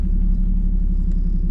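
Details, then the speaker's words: Squarebody truck, warmed up after driving, following a bolt tightening, exhaust leak no longer heard: low, steady rumble with even pulse, no misses or knocks; idle smoother and quieter than before. "Oh dude, that's smoother than it was before."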